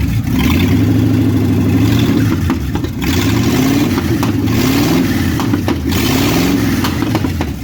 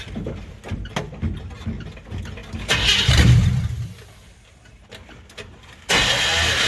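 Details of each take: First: 1957 Chevy hardtop (LT1 Roadmaster conversion project) after advancing ignition timing; runs continuously, repeated throttle blips rise and fall cleanly without stumbling — healthy enough to drive, engine running normally. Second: 1957 Chevy hardtop (LT1 Roadmaster frame/floor conversion project) being warmed up before an inspection trip; starter churns in uneven bursts with a brief surge that dies, engine turns over but never catches — cranking without starting.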